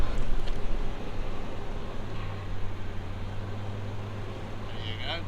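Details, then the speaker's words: Gen 1 GMC Safari/Chevy Astro AWD idling after replacing the failed power steering pump, which had caused a hard brake pedal through lost Hydroboost assist: low, steady, even idle with no stumbles or whine, apparently no leaks, left ticking over to purge bubbles. "We're running. We don't think we've got any leaks. It's ticking over nicely as it always does."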